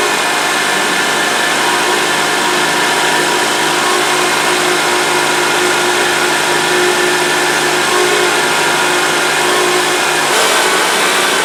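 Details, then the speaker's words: 2002–2008 Honda Accord idling: steady tonal buzz that swells when the steering wheel is turned, from the power steering pump drawing in air past a bad O-ring (part 91345-RDA-A01); no fluid leak. "okay okay so you can hear that buzzing noise hopefully you can hear it on the on the video but when you turn the wheel you can hear like that buzzing type noise"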